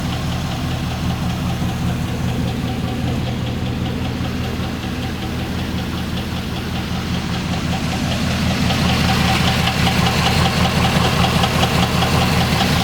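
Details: Chevrolet Trailblazer SS V8 thrown rod: steady heavy knock about two to three per second at idle, growing louder as revs rise; going to the dealership under warranty.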